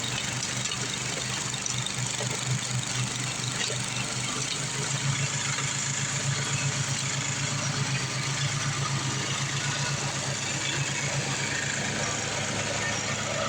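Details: Craftsman 826 track-drive snowblower after a new 31-inch auger belt replaced the broken one (auger had stopped), front greased, refueled: the small single-cylinder engine runs steady with an even, rapid beat and a hissing throw of snow. Auger working normally under load.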